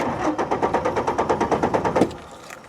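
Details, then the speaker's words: 2003 Ford F150 crank-no-start test after fitting a chipless ignition lock cylinder: the old key's transponder chip is placed near the column but isn't sensed, so the starter cranks evenly, about nine pulses a second for two seconds, and never fires. "I don't think so. It's not sensing it. So it crank but no start."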